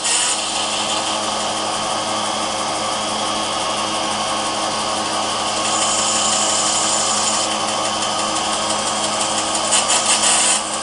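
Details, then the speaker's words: Vintage Radio Shack TRS-80 Model 16 (6 MHz) found in a garage loft, first attempted startup: floppy drive makes continuous harsh, raspy, hissy grinding on the inserted disk, as if eating it; keyboard also unresponsive. "don't know if it's supposed to sound like that I've never never grew up an inch floppy or four sounds like as eating that disk"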